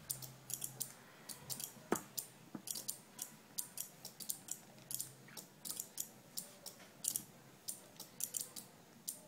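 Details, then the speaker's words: Two-relay flip-flop circuit, with capacitors alternately charging and discharging to blink two LEDs: crisp, even relay clicks about three a second, normal switching. "you can hear the ticking sound of the relay. The time that the capacitor one is charging, the other one is discharging."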